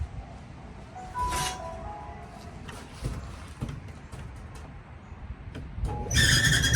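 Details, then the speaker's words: Whirlpool Cabrio dryer running with high chirping squeals over a low drum rumble, caused by a failing belt tension pulley; fix is replacing it with the upgraded pulley that has real bearings. "Oh, yeah, I could have guessed that. We got a tension pulley problem. A lot of people come in and they grab belts, but they don't get the pulley. And the pulley is usually the culprit here."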